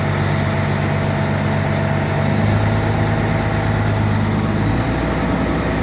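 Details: Peterbilt 379 truck started up after an oil change service, oil pressure gauge being watched. Deep, steady diesel rumble holding an even idle with no knocking, rattles or hunting; normal idle.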